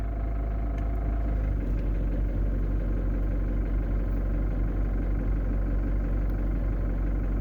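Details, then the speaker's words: Camper van engine idling after restarting, following a battery fault that left it dead a day and a half. Steady, even low rumble with no misses or knocks. Normal idle. "Je suis vraiment content, il a redémarré."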